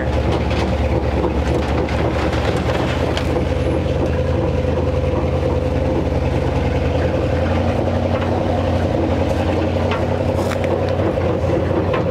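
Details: Abandoned 1957 Chevy Viking truck, parked over 50 years and revived, one cylinder found with no compression: low, steady, heavy droning rumble underneath as it rolls along; driveline rumble, source not confirmed.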